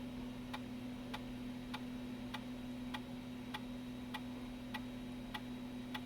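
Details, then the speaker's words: Apple Macintosh PowerBook 165C (color) floppy drive formatting a disk after reseating its crooked floppy cable flat: even ticks about every 0.6 seconds over a low steady hum as the head steps through tracks; the disk passed the format, drive working normally. "i do not know if this disc is any good yeah it is it passed the format"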